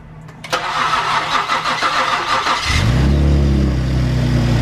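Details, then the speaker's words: Ford Taurus SHO first start after engine rebuild with new pistons, previous owner's muffler and resonator delete: brief crank, catches cleanly, settles to a steady deep loud idle; some smoke from rear, seemingly burn-off. "oh that sounds good dude that sounds really good oh that sounds really good previous owner actually did a muffler and res delete so it already it already is sounding good for us"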